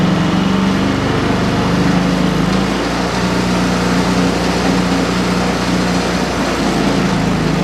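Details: Ariens 30 EFI snow blower single-cylinder engine, started on the first pull after sitting five months: steady, even, rapid putter with no knocks or misses.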